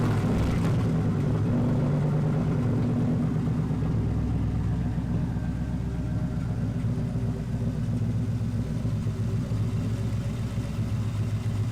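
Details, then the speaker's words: 1999-2004 Mustang GT turbo build, first start after installing Edelbrock Victor Jr. intake with return-style fuel system: deep, steady V8 rumble settling into even idle, no hiss, miss or ticking; no leaks, running well. "Well guys, as you can see, the car started up nice and it ran and sounded real good."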